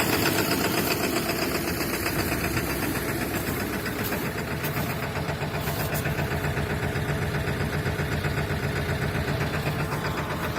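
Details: 7.3 Powerstroke diesel at -35°C, third start attempt after 2+ minutes of glow plugs and an overnight block heater, clatters hard and unevenly with about four knocks a second over a rough idle; owner has narrowed it to worn injectors.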